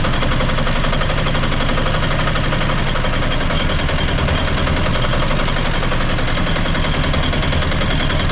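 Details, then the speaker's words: Used diesel generator of unknown condition, started on a little diesel with the fuel filter only partly filled: loud, rapid, hard clatter at a steady level; rough running, suspected fuel starvation, later ran out of fuel. "all right so it's good started up all right sounds like it might be starving a bit for diesel which that fuel filter is only just filling up a little bit"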